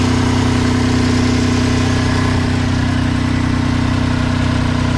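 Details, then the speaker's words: Vauxhall Corsa C budget race project, first start in a will-it-start check and low on fuel: low, throbbing idle pulsing about three times a second with a shaky, uneven beat; it idles rough with noticeable vibration. "will it start yes it will got a bit of a vibration going on"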